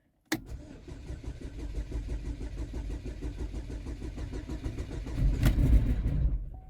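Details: Junkyard engine just installed in a 2012 Chevy Equinox/GMC Terrain, first start attempt: starter cranks steadily, about four beats a second, for several seconds without catching. Owner suspects the fuel system is still priming; it later started with a misfire, likely a bad coil.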